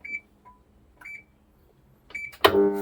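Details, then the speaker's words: Washing machine, belt removed so no load: panel beeps, then a steady electrical hum, but the motor underneath will not turn. "Ha nampak berdengau tu. A tapi motornya tak nak jalan."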